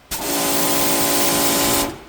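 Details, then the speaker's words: New Giraffe Tools Grandfalls Ultra Flow electric pressure washer, line air bled, on 15 amp circuit: instant hard spray hiss over steady motor tone, strong start to stop; no breaker trip; healthy. "That's like instant on. Look at this. It's not tripping the breaker, and I've got it hooked up."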